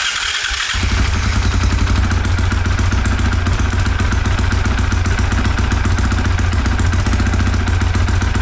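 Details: 2023 Honda CRF450R that previously wouldn't start, after oil change, coolant change and air filter clean: catches within a second and settles into a steady, even single-cylinder beat with no misses; normal start and idle.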